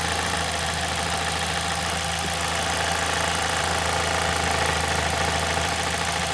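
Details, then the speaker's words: 2006 Ford Fiesta ST at idle before repair; fast tinny buzz about three pulses a second over steady idle, the manifold heat shield vibrating loose because of a broken bolt. "So the problem I'm having with it at the minute is when it's on idle you can hear it vibrating around because there's a broken bolt."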